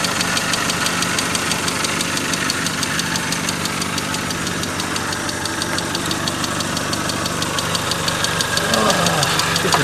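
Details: Mazda 626 FS engine at idle, first startup after reinstalling the IAC and throttle body: a steady, sharp ticking knock about three times a second. Found 50% loss on cylinder 3 from a bad exhaust valve; the exhaust also leaks at the cat.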